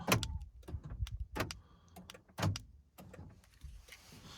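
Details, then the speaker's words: 2013 Honda Fit with randomly self-locking power door locks, during diagnosis with wiring disconnected: sharp clicks from a relay under the dash when activated but no lock movement; system apparently can't tell whether the door is locked or unlocked. "can hear that it's activating a relay under the dash but it's not actually on un locking the door because I think it can't tell whether this is locked or unlocked"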